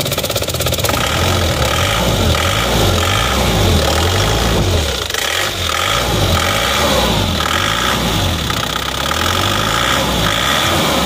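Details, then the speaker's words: Isuzu Panther Turbo Euro 2 diesel, cold morning start after sitting overnight; steady clatter with slight shake but even firing, shake attributed to engine still cold; owner wanted engine rebuilt but mechanic finds it normal. "ini emang agak goyang ini emang Masih dingin kalau getar seperti ini saya rasa kalau masih pagi itu"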